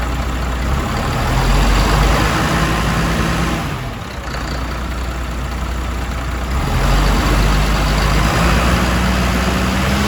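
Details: MAN TGM truck, D0836 LFL 63 diesel, after engine rebuild for smoking and misfiring, with bench-tested injectors: steady, even drone at idle with regular low beat, no stumble or miss; normal idle.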